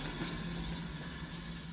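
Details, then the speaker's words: 2007 Toyota Camry Hybrid front wheel spun on a lift: steady low hum from a worn wheel bearing; driver reports humming while driving straight, louder when cornering. "it's clearly wheel bear do you hear that just to make sure that camera microphone will perfectly record it one more time definitely there is the humming from background"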